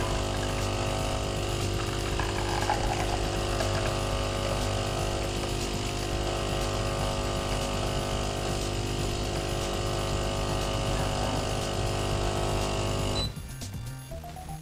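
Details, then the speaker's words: De'Longhi Dynamica FEB 3515.B brewing decaf from one level scoop of pre-ground coffee; constant buzzing pump drone for about thirteen seconds, then a clean cutoff; normal brew cycle. "alors on verse ensuite une cuillère et une seule une cuillère rase maximum de café moulu dans la trappe prévue c'est déjà prédosé je referme la trappe et je sélectionne ma boisson"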